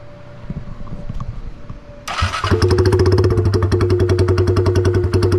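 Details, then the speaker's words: 2022 Honda Grom with every exhaust hanger broken and a backfiring tune. It starts after a couple of seconds, then a loud, choppy pulsing idle with a tinny buzz from the loose exhaust rattling; owner is swapping the exhaust. "like every hanger on the thing broke off could be my fault i had that uh eraser tuner where it backfires and um blows flames out but yeah so it ended up getting really loud and really annoying rings my ears"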